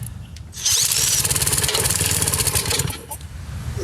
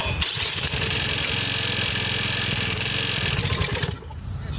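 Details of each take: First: Old commercial Lawn-Boy mower with Briggs & Stratton engine, non-running, after valve job and engine work, oil topped up and fuel added to carburetor throat: rapid uneven pull-cord chuffing, three to four strokes a second, never catches; cause unconfirmed. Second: Briggs & Stratton engine on an older commercial Lawn-Boy mower, first run after a valve job and engine work, carburetor condition uncertain: catches and runs with a quick, even popping beat before shutting off; sounds okay, normal running.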